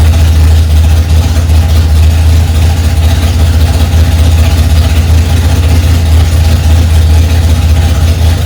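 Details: 1965 Ford Mustang, freshly rebuilt 289 small-block V8 on its cold first start, mixture screws two turns out: loud, deep, steady rumble at a high idle with no knocks or misses; running fine.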